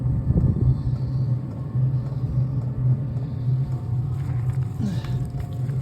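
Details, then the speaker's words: DWALE Chinese diesel heater shortly after start-up, already getting warm: steady low hum and soft burner roar, even and unchanging; normal running. "So we're back a couple of minutes later, and the thing is starting to wind up."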